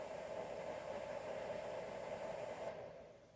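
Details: 24V 5A e-bike charger cooling fan after oiling its dried-out sleeve bearing, which used to squeal for about five minutes: a smooth, even hum with a faint high whistle and no squeal, then a quiet wind-down, so the fan runs normally.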